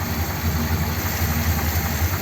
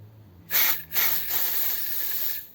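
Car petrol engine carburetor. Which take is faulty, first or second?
second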